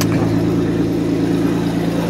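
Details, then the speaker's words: 1991 Mercedes 190E with CIS injection, cold first start of the day at idle: fast light puffing tick over the engine note; exhaust leak with rattle, suspected at a crooked clamped joint to the pipe. "and that's our exhaust leak and the rattle you know the exhaust will be something last"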